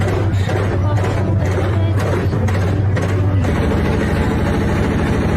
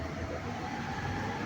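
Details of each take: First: Haier 15 kg top-load washing machine during spin: loud heavy rumble like a passing train. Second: Haier 15 kg top-load washer (HWM150-1708) spinning at full speed after repair of spin-cycle rumbling: steady, even whoosh and low hum, no knocking or rumble.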